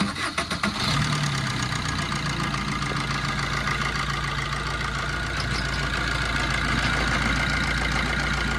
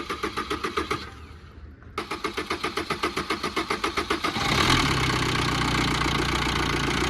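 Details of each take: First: 2010 Maruti Swift, 102,000 km, after timing chain repair and reassembly: catches after a few cranks, smooth even idle with no rattle from the front; earlier loud timing chain noise now controlled. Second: Maruti Swift with late-starting complaint and fault code P0340 (cam position sensor signal): starter cranks about four turns a second, stops, cranks again and catches only after several seconds; loose timing chain, very noisy, delays start.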